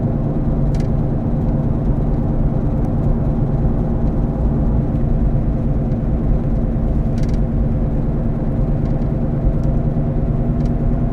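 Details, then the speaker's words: Car cruising: constant low growling rumble under road noise; bad wheel bearing located to the rear on test drive, side undetermined. "a wheel bearings typically sound grindy growly when a bearing starts to go bad it makes noise and typically that noise is described as grinding growling whining"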